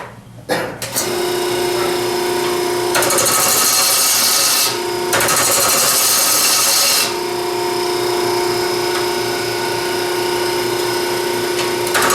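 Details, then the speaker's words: Wood lathe, gouge cutting hard, dense plywood edge grain and glue lines at a slope, heavy tool pressure needed: motor whine with harsh rasping scrape surging as the gouge bites; fairly sharp tool dulling, needs sharpening. "it's a fairly sharp tool I'm not using the the finest tool of God I'd go back and sharpen it before I did any more of that"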